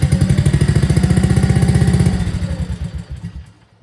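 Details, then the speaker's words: 2024 Arctic Cat ZR 200 snowmobile idles with quick even pulses, then abruptly loses power and dies; barely touching the throttle pulls away from the throttle safety switch (TSS), cutting spark; intermittent stalling at idle. "as soon as you touch the throttle barely it pulls away from that TSS and it kills the motor it kills the spark"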